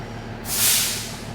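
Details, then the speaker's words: Air brake truck governor cut-in test, brake pedal pumped slowly: sharp hiss of air rising and fading, clean release; governor kicked in at about 97 psi, above the 85 psi minimum; normal. "And there it's on. It's starting to move up. It came on at about 97 psi."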